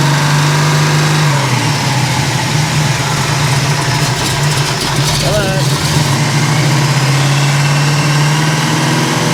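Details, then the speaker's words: 1971 Chevy Nova big block Chevrolet V8, first run in years, held at about 3,500 rpm while setting ignition timing to 38 degrees: deep steady drone, brief dip and clean climb back, no misfire or knock; normal high-rpm running. "But if you don't like big block Chevrolet at 3,500 RPM, it sounds like a you problem, not a me problem."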